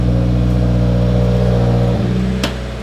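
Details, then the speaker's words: 2020 Subaru WRX, first start after installing AEM fuel pump (AEM/DeatschWerks kit), pump heard kicking on, no leaks: steady, even engine hum at constant speed with no misses, knocks or fuel pump whine; running normally. "leaks I can definitely hear that bad boy come on so we might be good"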